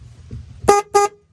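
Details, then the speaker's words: 1999 DuraCraft 1648 bass boat that sat for at least six years: two short, clean horn toots with a steady pitch; the horn works. "horn works the tilt and trim do work"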